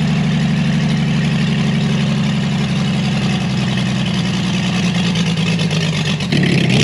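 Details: Chevrolet Blue Flame stovebolt six, long-sat engine out of the truck, first test run with a sink instead of a radiator, thermostat opened manually, thicker coil-to-points jumper wire: even steady low idle chug, picking up smoothly near the end; healthy.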